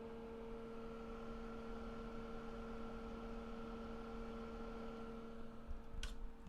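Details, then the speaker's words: Ten-year-old Dell XPS 8300 desktop with budget GPU at 80°C while gaming: loud steady whirring fan drone with constant whine, stops immediately when game closes; fan noise from heat load, cause suspected. "pretty noisy it's definitely like audible and um noticeable pardon me why mess with the um microphone some more so yeah we are 80 degree adc on the gpu and immediately like once the game closes down the sound like goes away immediately immediately"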